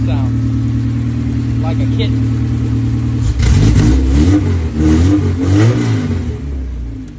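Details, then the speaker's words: K24-swapped dirt car after replacing a dead injector with a stock one: even idle, then several clean throttle blips rising and falling smoothly on all four cylinders with no miss or stumble. Normal running. "oh baby like a song huh oh yeah that's how she's supposed to"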